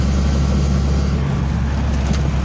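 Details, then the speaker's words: 1985 Toyota Sunrader motorhome, 22RE engine, after fitting LCE street headers, driving under load through the gears: deep even drone with steady exhaust note and no knocks or leaks; sounds healthy and more responsive. "i had noticed it feels a little bit better through the gears guys that sounds good man it sounds really sweet"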